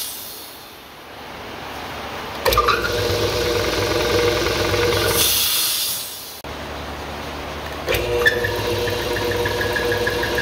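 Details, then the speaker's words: 60-gallon Husky air compressor that slowed down and smelled of burnt rubber: motor kicks on with a sharp high squeal over the hum, cuts out, restarts squealing; loose belt slipping, not capacitors or pump seizing; belt replaced. "this is why we were smelling burnt rubber and this is why we kept hearing the squealing coming out from the back end for a moment I thought maybe my air pump was seizing up"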